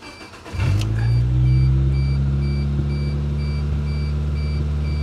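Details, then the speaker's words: 1993 Geo Tracker, previously non-starting, restarted after cleaning fuel injector screens with carb cleaner: brief crank, catches right away, settles into steady, even idle with no misfires or knocks; sounds amazing. Normal start and idle. "she sounds so good she sounds amazing so you know what that means she gets an oil change"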